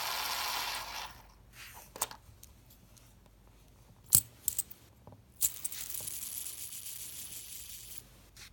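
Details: New Dayspirit fidget spinner, straight out of the box: a scratchy, squeaking whir that cuts out abruptly as the dry ball bearing binds and stops the spin, followed by clicks as the spinner shifts on the table.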